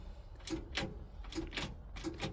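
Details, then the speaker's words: International box truck with DT466 diesel, sat nearly 20 years, key on in neutral: sharp paired relay clicks roughly every three-quarters of a second, no cranking; starter solenoid found on passenger frame rail, cause unknown. "there's a relay clicking. I don't think there's a clutch safety. Is there? No."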